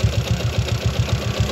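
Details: Yamaha Jupiter MX idling with a rough, knocking thump at each beat; a snagging transmission gear was found once the engine was split, with a broken gear selector pin and a worn gearbox bearing.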